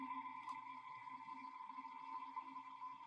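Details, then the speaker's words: Restored dumpster-found ceiling fan running unloaded on a test, speed changing up to maximum: fairly loud steady electric hum, no scraping; owner doesn't think it's rubbing and suspects it could just be the bearings. "you can hear it change in speed kinda loud it's kind of loud I don't think it's rubbing on anything could just be the bearings"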